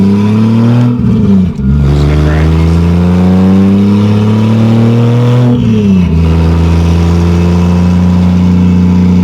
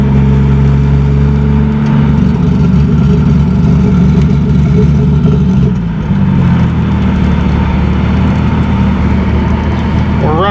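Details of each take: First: 2JZ-GE NA-T swapped MK3 Toyota Supra, road pull under boost while running rich: hard pull climbs, then stumbles and cuts twice before recovering, with gas burble; breaking up under boost, later traced to excessive spark plug gap. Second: 2JZ-GE NA-T swapped Mk3 Toyota Supra after the misfire fix, on a full-boost pull with fuel low. A deep, steady engine drone pulls cleanly without breaking up, though it still tends to die at idle: normal acceleration under boost.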